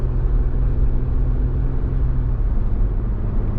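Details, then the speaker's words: Jeep Wrangler Rubicon with freedom tops off and a slim roof rack, at 26–30 mph: steady road rumble with no whistle after the original skinny fairing was swapped for the wider wind fairing. The earlier whistle came from the fairing gap. "28 there is no whistling 29 30."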